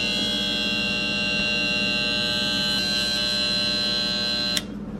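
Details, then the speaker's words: Back of a KitchenAid refrigerator not cooling: steady harsh high-pitched electrical buzz for several seconds then cuts off; compressor failing to start, fault in start relay, capacitor or compressor. "that is the problem of either a relay, a capacitor, or the compressor. Over time, as a refrigerator gets old, the compressor starts having problems, or the relay or capacitor fails."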